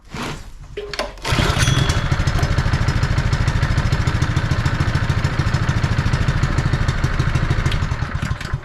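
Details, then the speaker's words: Honda firefighting pump single-cylinder engine, sat unused over 2 years, with air filter assembly refitted: catches after a couple of cranks and holds a steady, even putter, no misses; owner suspects a loose plug boot arcing caused the earlier poor running. "So that's running well now. I'm wondering if the plug boot wasn't back on it properly and that's why it wouldn't run properly."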